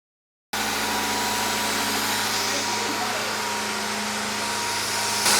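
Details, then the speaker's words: CB7 Honda Accord, first start after replacing crankshaft, balance shaft and oil pump seals and retiming, timing side still open to check leaks. Even, steady idle with a smooth hum, no knocking or ticking; no leaks seen so far; normal idle. "All right, well, this thing is running like a damn champion."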